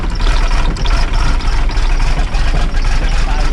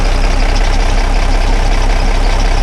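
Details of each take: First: Dennis Dart SLS bus (Project 114), diesel cold start in wet weather: rough, uneven clatter labouring, then it suddenly stalls, with a plan to try again; fuel starvation, later traced to a clogged fuel sediment bowl. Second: Dennis Dart SLS bus diesel, restarted after the clogged fuel sediment bowl was removed and the engine primed: deep, steady, even idle with no stumble or hunting; the starting and fuelling problem is fixed, and the bowl may also have been letting air in.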